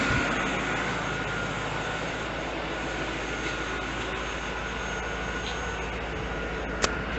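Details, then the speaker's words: 1992-1996 Chevrolet Corvette C4 LT1 after power steering pump replacement and pulley reinstall, wheel turned: steady, even idle hum with no whine or belt squeal, whereas it used to whine as soon as it was turned on; normal idle. "no lights on and turn it no winding anymore i used to whine soon as i turned it on"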